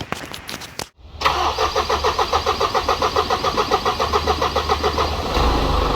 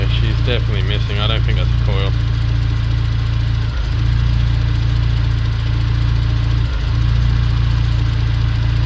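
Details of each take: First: Isuzu NPS truck right after transplanting a Euro 5 engine in place of the Euro 4, no radiator or intercooler fitted, brief run: diesel cranks, fires and settles into rhythmic clatter about three and a half pulses a second; runs fine. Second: Isuzu NPS truck with transplanted Euro 5 engine, still cold: low steady idle stumbling every few seconds; intermittent misfire, owner suspects an injector, not confirmed.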